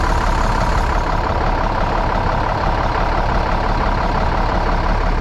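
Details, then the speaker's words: 1998 International 4700 DT466E that had no-start from a missing HPOP ferry plug ball, now repaired and with the engine warning light on: a deep, steady diesel rumble that holds even with no misses, knocks or stumbles; normal idle. "so we'll see if what codes if any but and it's it's running smooth right now"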